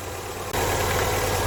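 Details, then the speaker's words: Warm classic carbureted engine with a distributor during a tune-up, choke off: steady raised, racing idle around 1000 rpm with the ignition timed at about 10° before top dead center, way too advanced. "right the timing is too advanced that timing is at between 8 and 10 I'd say about 10° that's timed at that is way too advanced"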